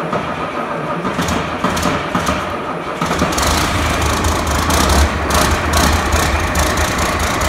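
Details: 1993 Ford Louisville L8000 diesel truck, first start after sitting about 11–13 years: cranks, catches around three seconds, settles into steady even idle with belt chirping over it; engine runs fine, normal idle.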